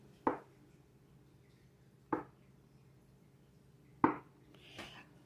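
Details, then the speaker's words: Frigidaire Gallery FG4H2272AUF fridge: slow, sharp knocks about every two seconds over a quiet hum, traced to water trapped in the water filter, fixed by shaking the water out. "hey y'all back with another fridge tip for your Frigidaire Gallery Series fridge if you've been kept up at Night by a slow knocking that sounds a lot like this"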